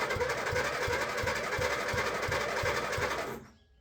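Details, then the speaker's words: Old rotary ride-on mower cranking steadily at about three beats per second, never catching; won't start with low fuel in tank, owner may check for water or muck drawn into the carby. "oh that would be right nothing goes to plan it won't start"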